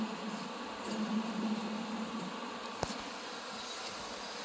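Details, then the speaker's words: John Deere Z335E zero-turn mower deck, belt pulled away and idler pulley spun by hand: faint dry rough whir with a sharp tick partway through; the idler bearing sounds bad. "But that one's bent. But this idler does not sound good."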